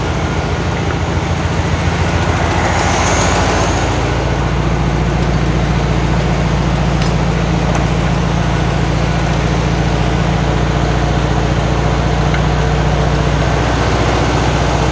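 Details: 1972 VW Karmann Ghia, air-cooled, first start after sitting many years; choke just adjusted, valves not yet done. Busy idle that mostly holds but surges slightly, a little jumpy and rough, cause not pinned down.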